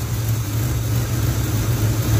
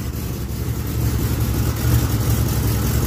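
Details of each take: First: 1980 Chevy K10 with vacuum-operated Quadrajet carburetor, engine cold, fast idle now engaged after earlier seeming to run rich: a steady, deep V8 idle at raised speed, smooth with no misses. Normal cold fast idle. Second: 1980 Chevy K10 V8 cold start: low, lumpy, loping idle with an uneven pulse; owner suspects it is running rich because the choke or fast idle did not come on fully, improving once fast idle engages.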